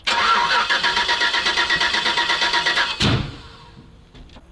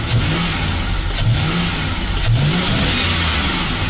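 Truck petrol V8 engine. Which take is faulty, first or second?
first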